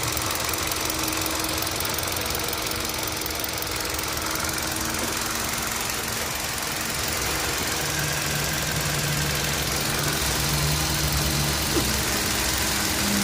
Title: Ticking sound from engine